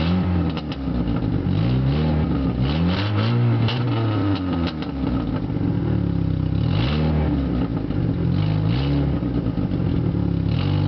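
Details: Neon without catalytic converter: a loud, raspy engine revs hard, then idles with a fast puffing tick from an exhaust leak.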